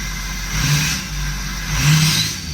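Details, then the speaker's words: 6.0 Powerstroke diesel after opening one side of the rails and building full pressure quickly: revs up and back down twice, smooth and even, truck no longer shaking; later loses power on test drive. Normal revving. "full pressure built pretty fast [Music] until that's a hill a lot smoother already whole truck ain't shaking"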